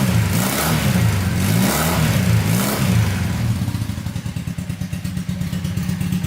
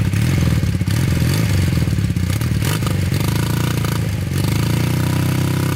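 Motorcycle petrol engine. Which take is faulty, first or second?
second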